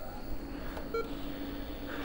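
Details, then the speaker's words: Tandy 1000 (Intel 8088, 4.7 MHz) first power-on, MS-DOS 2.11 floppy in bottom drive: single short mid-pitched beep over room hum; normal POST beep before booting into DOS. "a beep and yes it sounds like it's booting out but we got to wait to see if it actually does"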